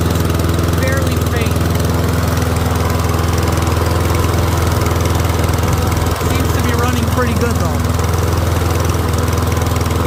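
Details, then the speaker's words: Troy-Bilt Briggs & Stratton rear-wheel-drive mower after ultrasonic carb clean, warming up with faint smoke remaining; steady even single-cylinder drone, no misses, knocks or surging; running smoothly. "Motor's running good. Let it warm up."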